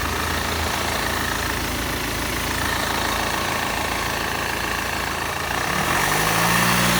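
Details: BMW E46 320d 110 kW diesel at idle: regular rattle about three beats a second over the clatter, then a brief rev; strange noise, source unclear.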